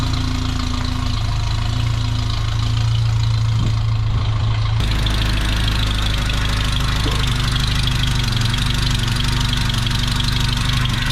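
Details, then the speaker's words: 1985 Toyota 4Runner after engine rebuild, warming up for a timing check after reconnecting an unplugged plug behind the ECU: steady idle, even low drone, slight note change midway, sounds healthy. "I figured out the 4Runner. There was a plug that was unplugged behind the ECU that was making it not run properly. So anyways, I can fire it up, get it warmed up, and make sure the timing is where it needs to be."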